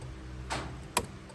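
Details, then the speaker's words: 1987 Chevrolet Monte Carlo, right turn signal on; sharp clicks about twice a second, much faster than normal, while left side lights also flash; turn signal hyperflash from a suspected wiring short, not yet found. "on the right side flasher look at the look at the cot it's going crazy and that's the right side and you come over here and the lights are flashing on the left side still but it's actually flashing on the right side too"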